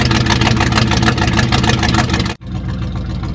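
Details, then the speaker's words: 1969 Chrysler Newport 383 Magnum V8, sat over 40 years, 12-inch glasspack mufflers: loud, deep, throaty burble with an even firing beat, then a quieter steady idle; normal, though it soon runs rough, with the fuel filter suspected. "give it a few pumps sounds pretty good though sounds pretty tough"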